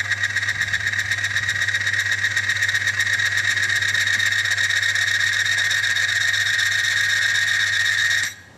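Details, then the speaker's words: Friction tester, 1 pound load applied: steady high squeal with fast regular ticking underneath, metal-to-metal friction; friction squeal under load. "Bila satu bebanan 1 pound dimasukkan pada mesin ni, dah mula ada rasa bunyi pada geseran. Maksudnya berlakunya geseran."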